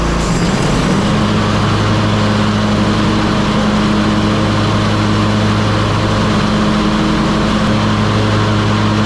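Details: Hustler Raptor SD 60-inch mower (model 934612) running with deck engaged after deck belt replacement; steady even engine drone, constant low hum, no knocks or belt squeal; normal running.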